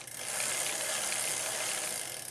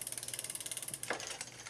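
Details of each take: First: Old Cannondale bicycle after chain shortening and front derailleur adjustment, big front ring and second-largest rear cog: fast, even, crisp freewheel ratchet ticking as the crank spins backward with no rubbing. Normal. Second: Old Cannondale bicycle after chain shortening and front derailleur adjustment, cross-chained: fast, even bright ticking (about sixteen per second) as the crank spins backward. The chain rubs and bumps the front derailleur, which is acceptable in this gear.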